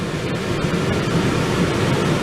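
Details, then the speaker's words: Newly installed Dometic Duo Therm 11,000 BTU Penguin II Low Profile RV air conditioner on high fan: loud, steady rushing air with no rattle, thump, wobble or vibration; normal operation, just noisy. "That's high fan. It's pretty loud."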